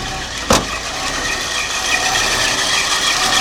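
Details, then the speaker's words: 1972 Lincoln Continental, 460 ci (7.5L) 4bbl V8, C6, single exhaust with resonator: cold start on the carburetor choke, a single click, then a steady even fast idle with no misses, knocks or smoke. The engine is in good shape. "running very slowly but uh that's actually a Testament to how good a shape the engine is in because it's hard on a motor to start it up cold like that"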